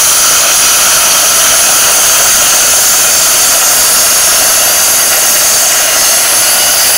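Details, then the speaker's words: A 40 amp plasma cutter set to 30 amps at 40 psi cuts 3 mm plate with a steady, even high hiss, no sputter or breaks, through the whole cut; the cut comes out clean; normal plasma cutting. "well i said now i've got a three ml piece of plate compared to that piece of plate which i reckon is probably a mill and a half so we'll see how this cuts at 30 amp 40"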